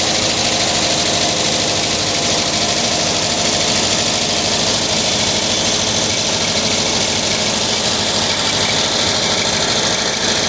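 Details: 1979 Volkswagen Type 2 with 2-liter fuel-injected flat-four engine at idle: light glassy clinking two to three times a second, like bottles banging; owner suspects the fan, refitted unmarked after cleaning and painting; cause unconfirmed.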